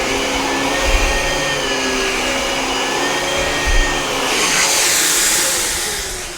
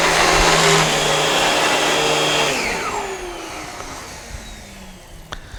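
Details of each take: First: Dyson DC17 Animal upright vacuum, about eight years old, after replacing brushbar, belt, HEPA post-filter and pre-filter: steady even motor roar and smooth airflow hiss, no rattle; much quieter than before. Normal running. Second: Dyson DC17 Animal upright vacuum, about eight years old: harsh rough whirring over the motor roar, present only when the brush roll runs, dying away on spin-down; worn-out brush bar suspected, replaced with new brushbar and belt.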